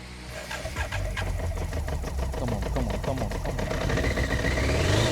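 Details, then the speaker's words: BMW K100RS sitting since 2007, after tank rebuild, new fuel pump and wiring fixes, no choke: starter cranks in quick even rhythm, engine catches and climbs to clean steady run; normal first start after 18 years. "Yes. Yes. Smells like Holy It's working. First gift. Wow, guys. I'm very happy it's working. It's doing what it's supposed to do."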